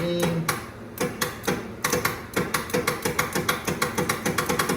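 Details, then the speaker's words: 1979 Cadillac Eldorado with Oldsmobile 350, sitting 14 years, starter wired directly: hard mechanical clacks speeding to about five a second as the starter turns a stiff engine; starter spun wrongly and locked once; cause suspected, not confirmed. "Oh, now the starter just spins the wrong way. That's freaking cute."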